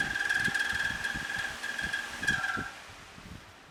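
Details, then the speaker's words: Household bedroom fan running: steady high squeak over the whir with soft thumps about four times a second; fan dirty, owner plans to clean, check for loose parts and oil the motor bearing. "hear that squeaking noise you can't sleep when a fan's making all that racket"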